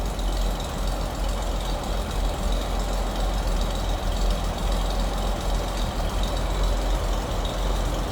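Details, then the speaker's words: 1934 Chevrolet DB pickup, period-correct inline six (about 206-207 cubic inches), just after a cold start: deep, even low rumble at steady idle with no knocks or misses, sounds as you'd expect, normal idle. "sounds like you'd expect 26.8 cubic in if you're being technical 206 or 207 is usually what you'll hear them call"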